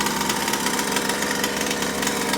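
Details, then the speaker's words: Rovan Baja Max 5T 1/5-scale RC truck, stock two-stroke engine and stock carburetor, first-ever run: fast even buzzing holding a steady speed, no misses or sputters; engine running healthy. "it doing good she's alive sounds healthy another thing I want to add before I end this video is this is the very first time this engine is running"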